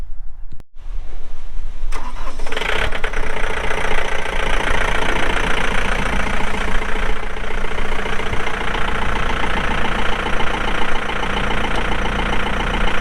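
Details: 2006 John Deere 4320 tractor, pre-emissions 48HP Yanmar diesel, 1,655 hours; starter cranks briefly, then catches and settles into steady, even low clatter; normal cold start and idle.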